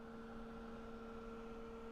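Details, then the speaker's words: Dell XPS 8300 PC with a budget GPU, gaming at 1080p on low preset with the GPU at 80°C. A constant droning hum with a steady whine that stops as soon as the game closes. Finding: loud fan noise under load; the cause is suspected, not confirmed. "the sound coming out of this it's pretty noisy it's definitely like audible and um noticeable"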